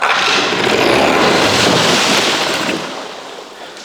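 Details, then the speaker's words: Mercury outboard, choked, throttle slightly open, with compression, fuel and spark: catches and screams to high revs, holds a couple of seconds, then dies; owner suspects fuel delivery/carburetor, not confirmed. "up that's what it's been doing it starts and revs right up and I just can't keep it running"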